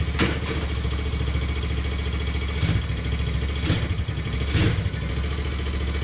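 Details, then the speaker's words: TaoTao 125 after re-jetting with a Dynojet kit and a fresh oil change: idles a touch fast and steady with brief throttle blips. Owner suspects a worn throttle cable; the high idle typically goes away once warm, and the noise is not from the bottom end. "It's got a little bit of a higher idle, and I think that's just due to the fact that this cable is just kind of shot"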